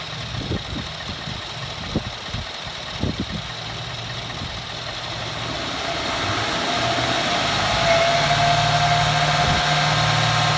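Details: 2014 Ford F150 4x4, hood open, phone set down: after a few handling thumps the engine revs and a thin high nails-on-chalkboard squeal rises. Once cold-only, now constant; source not found. Squeal when revving.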